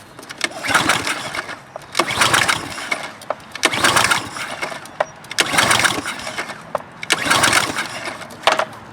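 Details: Troy-Bilt pressure washer with Briggs & Stratton engine, cold, automatic choke propped open and starting fluid sprayed in carburetor: five rattling pull-start strokes that never catch; no-start.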